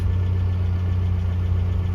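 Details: 1982 Toyota SR5 4x4 truck after replacing the emissions control computer box (carburettor already rebuilt), which fixed its crank-then-die problem: a steady, even low idle with no surging, stumbling or dying out. Normal idle.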